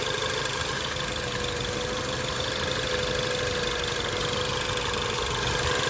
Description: 2017 Ford Focus ST possible vacuum leak Maybe